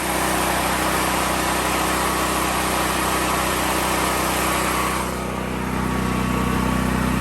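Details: Westinghouse generator converted to run on propane: steady even engine drone, no misses or surging; normal running.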